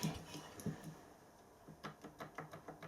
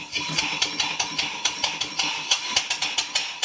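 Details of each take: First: Engine after crosshead modification, running freer and quieter: light quick ticking about six times a second following the stroke; eccentric made too slack a fit knocks, owner plans to look at it. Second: Engine after crosshead modification, under load: crisp even exhaust beats about four a second, steady with no knock or clatter; runs nicely, though the slack eccentric was noted.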